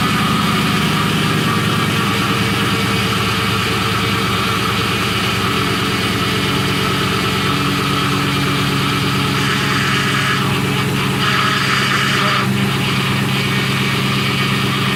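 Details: 2004 Ford Mustang Convertible whining from the engine on start-up and stopping, changing when the brake pedal is touched; power steering fluid found below minimum, leak near front driver-side wheel, stop leak added. Idle with steady whine, cause not confirmed.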